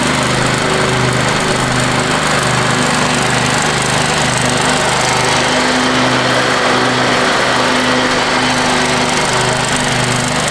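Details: Free Craftsman riding mower, reportedly quit running, now cleaned and power washed, mowing the front yard with the deck down: a steady, even drone with a smooth low pulse that holds speed while cutting. Normal, healthy running under load.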